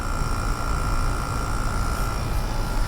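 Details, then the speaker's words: Curbside GE AEL05LQG1 5,050 BTU window air conditioner blowing freezing cold after head pressure built: a loud, steady hum with a fixed mid tone over a deep rumble. The compressor is very noisy; owner suspects GMCC or Qingan. "And it is blowing out freezing cold, but this one is disagreeably loud. That is a very, very noisy compressor."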